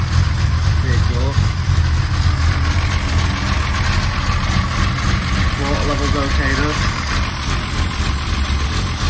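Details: 1963 Mercedes W111 220SEb cabriolet under restoration, restarted after work: low, steady idle, even with no misses or knocks, possibly over-fuelling; normal idle.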